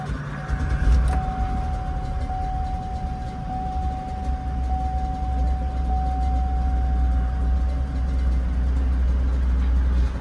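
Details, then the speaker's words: Engine idling right after a spark plug change: steady hum a touch fast with a thin constant whistle; idle hanging high after start-up, expected to drop back as it usually does; cause not confirmed. "are running a little high hoping she'll drop back down like she usually does"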